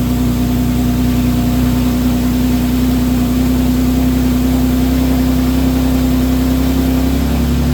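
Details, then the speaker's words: Infiniti G37x AWD after replacing a starter that cranked slowly despite a good battery: it starts right up and settles to a smooth, even idle with no misses. Normal idle. "Look, it just started right up. You see that? That's how it really supposed to start."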